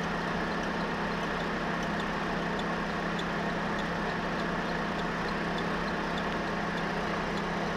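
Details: Renault F4R engine at steady idle with a faint light tick, roughly a hundred a minute, above the engine hum. The owner reports a strange noise; its source is unclear.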